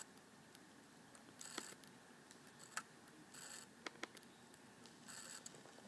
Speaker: here that little noise right there that's that's the hard drive struggling to read and write data